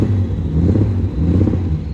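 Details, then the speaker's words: BMW E36 on its first drive: deep, lumpy exhaust rumble with uneven, stumbling pulses when pulling away; it runs and feels rough. Rough running engine, cause not confirmed. "It's definitely rough. It runs rough and it feels rough."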